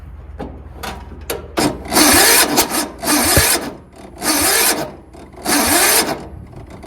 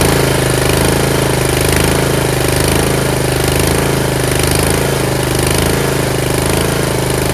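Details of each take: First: Yard Machines (MTD) 38" riding mower, 13.5 HP Tecumseh engine, before valve adjustment, nearly empty tank, starting fluid sprayed: sluggish, labored cranking in roughly one-second bursts, no firing; starter hot and smoking, cranking too slow for good spark; valves out of adjustment. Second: Yard Machines (MTD) 38" riding mower, 13.5 HP Tecumseh engine: steady, even single-cylinder throb, no misses or surges over twelve seconds; normal running. Owner suspects possible carb issue after an earlier stall.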